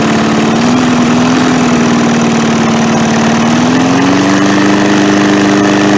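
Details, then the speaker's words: MTD push mower single after carb cleaning, less smoke, oil not yet changed: steady low idle barely lifts as the throttle linkage moves; the throttle spring was hooked on the wrong end after the carb was refitted. "It really doesn't do anything. I can move the throttle. So I don't know. The linkage is moving it."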